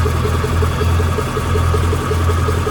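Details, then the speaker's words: Chevy carbureted box truck "Big Blue", just revived after sitting, idle screw turned up a quarter turn: steady raised idle, low drone with even ticking pulse; running fast but smooth, may diesel on at shutoff; battery dead, charging heavily. "You gotta be careful the idle because when you shut it off, it's just gonna keep charging. It's like a diesel truck. It's running. It's running."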